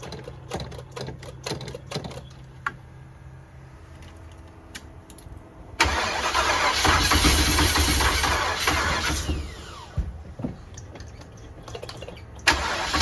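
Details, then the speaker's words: 454 big-block V8 RV, first start after priming the fuel pump and fitting plug wires and vacuum lines, on a cold 27° day. Slow, labored cranking with uneven ticks, then a stumbling rough start; hard start from ignition timing too far advanced. "where we're at on timing that's definitely too far Advanced"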